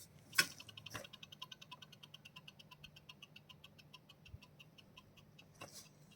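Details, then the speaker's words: New GESTORE 1200mm 3-blade ceiling fan motor spun by hand at unboxing: steady fast ticking with faint hum; owner says bearing noise, heard reviews of noise after 20-25 days, expects louder at high speed. "அது sound வருது பாருங்கள், bearing noise வருது. அந்த bearing noise வரக்கூடாது, அதில் bearing noise வருது."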